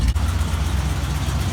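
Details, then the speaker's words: Truck "Big Bob" right after old muffler cut off and new temporary exhaust welded on: deep, even low burble at idle with steady throb, no rasp or leak; sounds better than before; normal exhaust note. "Oh Big Bob oh yeah sound good"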